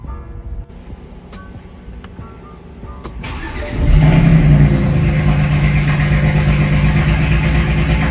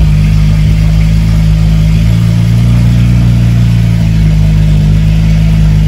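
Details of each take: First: BMW 335is with swapped-in N54 engine, first start: cranks and catches after about four seconds, then uneven, lumpy idle; codes for cylinder six misfire and exhaust VANOS solenoid. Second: BMW 335is after swap to a replacement N54 engine, cold start on fresh fuel with scan tool connected: steady, deep cold-start idle with a slight pitch rise midway, no misses or knocks; no codes, normal cold-start loudness.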